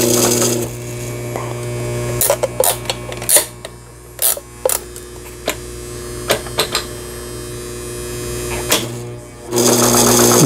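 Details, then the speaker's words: Sister MS350 sewing machine (sold by Brother, about 20 years old) after repair, stitching in reverse and forward: a quick, steady needle clatter over a constant motor hum; stitching strongly and normally, all functions working. "후진, 전진, 힘차게 박음질 되는 걸 보실 수가 있어요. 네, 각종 기능들 정상적으로 작동되어지는 브라더미싱에서 수입해서 판매한 시스터의 MS350이라는 기계."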